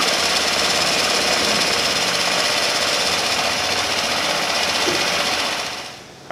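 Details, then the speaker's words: Honda Elite 80 (CH80) scooter, over 11,000 miles, first start after rebuilding a catastrophically failed engine, fully cold at 32°F. Fast, even rattle at steady speed with no misses or knocks: it fires right up and runs great. "well i am super stoked with that result uh engine fired right up and really ran great"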